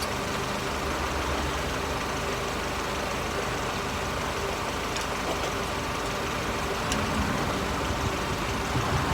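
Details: Mercedes SLK R170 on stands, recorded under the car at steady idle. The old, rusty exhaust has a breathy, raspy note with no clear knock and no air leaking from the silencer joint. The owner suspected a leak but found none; the central exhaust mount had failed.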